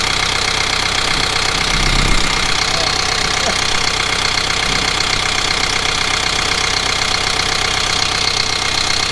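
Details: Kubota M15GX tractor diesel after an engine rebuild: steady clatter at about four beats per second with no misses and no blow-by puffing; running healthy.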